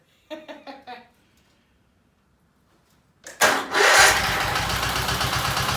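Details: Case 446 "Big Wheel" lawn tractor, barn-stored several years, after removing carburetor air-filter screws that fell in and held valves open: a few light clicks, then catches and settles into steady even run, no misses; normal running.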